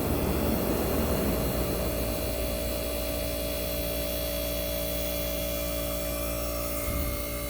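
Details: 1965 Fedders Weatherwheel air conditioner on high cool, Tecumseh AJM compressor running with the fan cut off, mic near the compressor: steady, even low hum and drone, no knocking or rattling; compressor running normally.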